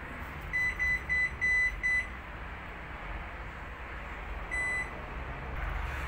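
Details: Hisense washing machine whose drum won't turn, belt and motor intact: five quick high beeps then one more, with no motor running, still showing the F06 motor-related error.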